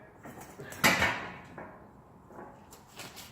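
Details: 1999 Ford Explorer 5.0, lower control arm loaded with a floor jack while the wheel is pried upward: one sharp metallic clunk, then quiet; looseness from a worn lower ball joint.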